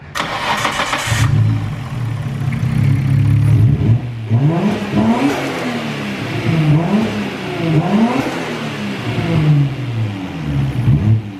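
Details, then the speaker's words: 1990 Nissan Skyline R32 GT-R RB26DETT after new injectors rechecked following misfiring: petrol six cranks briefly, fires and revs cleanly in smooth sweeps, sounding healthy as an RB should. "sounds more like an rb is supposed to sound saves us some time"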